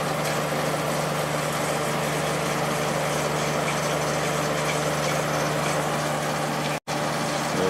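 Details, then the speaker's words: Late-90s 40-pint Whirlpool Accudry dehumidifier, reciprocating compressor, Emerson fan motor, opened up: steady compressor hum and even fan rush, no rattles; normal running, evaporator fins cold, discharge line warming. "just pointed at the area with the fins. Definitely working well."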